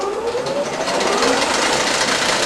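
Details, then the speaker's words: Diesel injection pump on test stand run at about 900 rpm (half crankshaft speed): fast uneven chattering flutter over busy mechanical clatter as air is drawn into the fuel supply; air in fuel causing pump flutter. "first see we're getting a little air here you can hear it flattering away right"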